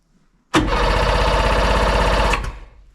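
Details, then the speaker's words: Sea-Doo Sportster 1800 jet boat, twin Rotax 717 two-stroke engines, stored 18+ months in a barn, fuel gauge at zero: even starter churn about four beats a second, never firing; cranks but won't start, owner suspects no fuel. "it's spinning over sounds like it's good good compression might even do a compression test on it as well um hasn't taken but I say I don't think there's any fuel in it the fuel gauge is shown zero"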